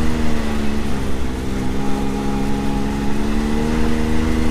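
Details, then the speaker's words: 2022 Can-Am Maverick X3 DS Turbo 120 after P-Drive primary clutch install, low revs, engagement now a few hundred rpm lower and smoother: steady even drone, no rattle or chatter, already much quieter. "so let's see he's down here and let's check out the noise and it's already a lot quieter"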